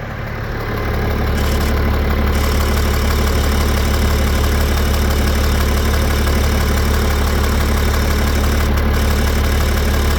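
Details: BMW M57N2 diesel tuned to 400+ hp, driven 30,000 km with it, idling hot: fast even knock, absent cold, louder the hotter it gets; no smoke or power loss; owner suspects injector, high-pressure pump, piston, rings or valve.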